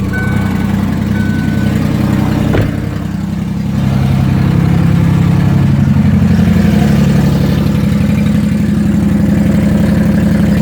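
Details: Ford Windstar minivan idling: loud, rapid low puffing rumble from an exhaust leak, suspected where the accordion-style flex pipe section has come apart.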